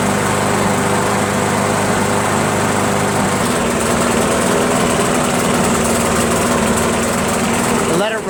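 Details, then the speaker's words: Briggs & Stratton Pulsa Jet Prime mower engine, before repair, left running about two minutes: the steady drone turns uneven, hunting and stumbling, running rough; carburetor diaphragm and gasket to be replaced. "starting to run like crap now it looks like we're gonna change the gasket and diaphragm"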